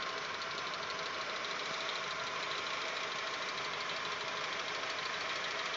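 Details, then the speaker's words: Audi 1.8 90 hp after cylinder head repair, 15W-40 Lukoil oil: light, quick top-end ticking at warm idle, silent cold, grows as it warms and comes and goes; swapping hydraulic lifters changed nothing, cause unconfirmed. "потом начинает тарахтеть заведем сначала было слышно как стучал один гидрокомпенсатор потом все вроде более менее мы сейчас что-то опять платной вот слышен легкий стук ну даже не стуку а так легкое проявление studios сейчас пройдет время и он начнёт усиливаться"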